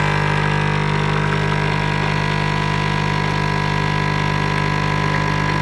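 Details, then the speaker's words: Brand-new Krups Nespresso Citiz (original line) making a real espresso with the espresso button after a first water-rinse cycle: a steady, even pump hum at one pitch with no initial loud rattle. Normal pump sound while brewing. "And you can also see, you could probably hear that there wasn't that initial really loud noise, so you don't need to worry about that."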